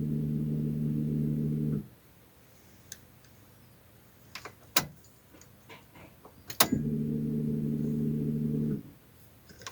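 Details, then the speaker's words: Car at ignition switch ON position, key-on before starting: two separate low, steady hums of about two seconds each, then silence; normal fuel pump priming, not a fault. "ये जो आवाज़ आपने सुनाई दी है, मैं आपको दोबारा बता रहा हूँ, ये फ्यूल पंप की आवाज़ है। फ्यूल पंप एक्टिवेट हो चुका है, इसका मतलब है ये उसकी आवाज़ होती है।"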